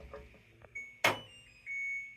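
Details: LG washer after replacing a bad drain pump that had caused an OE no-drain code, with the wash cycle completed: a few short high beeps ring clear over a quiet room with a brief clatter; a normal end-of-cycle signal.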